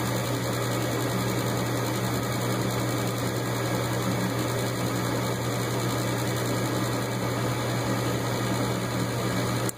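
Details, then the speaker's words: Gas furnace with no-heat complaint, startup after hot surface igniter replacement: smooth, even low hum from the inducer fan motor, no rattles or scraping, cuts off cleanly; inducer runs normally. "so there is the system you should hear the induced pan motor and there it starts"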